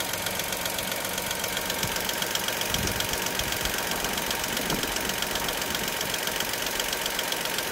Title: dacia sandero sce75 ticking noise in idle problem#dacia #daciasandero #dacialogan